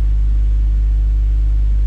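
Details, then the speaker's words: Honda Prelude warming up while data logging, sensors reading fine, after charging the battery and freeing a sticking starter: steady low idle rumble with no misses, surges or knocks; engine healthy. "and as you can see we're idling 39 and we're warming up so everything's checking out good"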